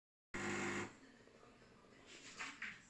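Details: Philips 5360/10 coffee machine: short half-second steady buzzing drone, then near quiet; abnormal noise from pump or grinder, cause unknown.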